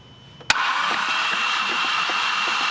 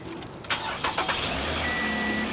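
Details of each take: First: Flood-damaged car cranking with spark plugs out to expel water from cylinders: steady fast whirring crank, no firing, fuel smell, still spraying a little; water clearing. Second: Flood-damaged push-start car: short crank, catches at once into smooth even idle with no misses or knocks; healthy start, check engine and traction control lights on, possibly a little water inside.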